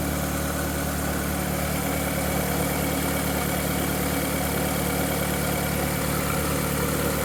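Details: VW Golf 4 1.6 16v 105hp petrol at idle: a light, quick clack-clack ticking about three per second over a steady idle; a whistle at start-up fades after 2–3 minutes, and the owner suspects the timing side.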